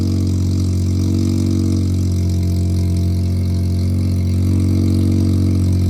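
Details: Mazda three-rotor (20B) rotary project car with Sniper fuel-injected carburetor, phone placed nearby: steady busy low burble at idle with slight rhythmic lope, even and unbroken; normal rotary idle.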